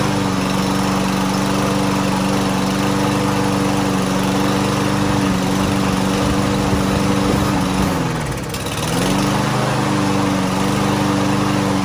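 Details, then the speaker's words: Lawn Boy push mower, unused for almost a year, after carburetor cleaner spray: starts without starting fluid and runs with an even, steady drone, dipping briefly under load then recovering cleanly; runs well after the carburetor clean. "ya está mire ya está jalando ya está funcionando muy bien"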